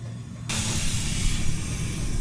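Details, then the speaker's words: 1973 International Transstar 4300 with 12V71 Detroit diesel, sat since 1986, spring brakes not released: sudden steady sharp hiss from an air line to the shift tower that was found pinched in several places; air line leak. "I still hear something. I think I genuinely think it's the quick release. >> Quick release shouldn't be leaking right now cuz the spring brakes ain't released."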